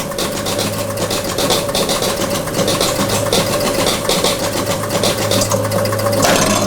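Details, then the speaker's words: 1977 Gottlieb Bronco electromechanical pinball under restoration: once the AX relay fires, the start button now triggers the game; quick bursts of clicking relays over steady electrical hum ending in louder clatter, normal reset cycle. "so now it's actually resetting the game if I fire that manually but it should be firing when I press the start button so let me start it now works"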